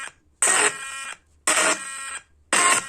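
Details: 4-inch Bluetooth speaker, model CA-611: roughly one-second bursts of harsh gritty buzzing with silent gaps, sound cracking and cutting out. Speaker driver tested fine; the amplifier board is faulty.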